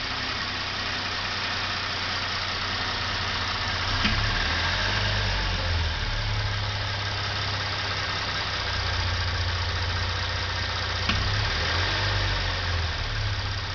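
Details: 2013 Hyundai Genesis Coupe 3.8 GDI at warm idle with light throttle: distinct single clunks around four and eleven seconds, a sharp click from the throttle body.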